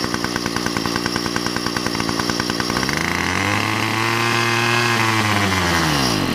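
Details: Weedeater two-stroke with half a tank of fuel, before carburetor, gasket and spark plug replacement: rough buzzing that surges, then sags in pitch and bogs out; carburetor problem suspected.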